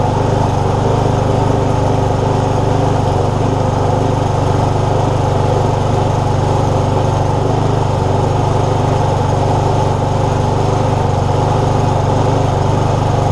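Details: Free lawnmower, hydrolocked and filled with oil, now refuelled and started after the fix: steady, even single-cylinder putter holding constant speed with no misses or knocks. Running cleanly.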